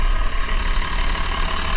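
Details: 1990 Blue Bird TC2000 bus, 12-valve Cummins diesel, 93,000 miles, water-to-air intercooler, cold start: deep steady rumble with even low throb, no knocks or rattles, settling into a normal idle.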